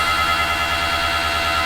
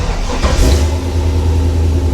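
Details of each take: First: Toyota FJ40 with a Walbro electric fuel pump mounted right under the seat: a constant high-pitched whine with a fast buzzing pulse that cuts off sharply. It is annoyingly loud and about to be replaced with a DW-series pump. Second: Toyota FJ40: the engine catches and settles to a steady low idle, with the pump barely audible as a light buzz. The new pump is much quieter.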